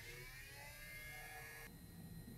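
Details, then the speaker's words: Sharp VC-300FB 1984 Hi-Fi VHS VCR, tape removed in stop mode: a thin whir keeps spinning and drops in tone partway. The separate DC reel motor runs when it should stop; a faulty controller or H-bridge driver IC is suspected. "We hear the motor running again ! The crux of this problem is the reel motor works abnormally."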